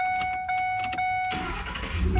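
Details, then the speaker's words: 2008 Ford F150 with a previous no-crank, no-start fault, with an aftermarket alarm removed; with a jumper wire fitted, a chime ticks, then the starter engages and the engine cranks strongly; the owner traced the fault to one diode. "The light comes on, which I'm not even worried. Truck cranks."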